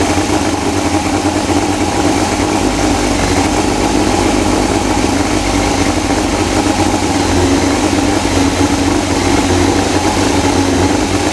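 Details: 2000 Yamaha YZF R6 idling after the carburettor install and refilling the spilled carb coolant line. Steady, even idle with a smooth mid-pitched hum and no knocks or misses; it runs normally.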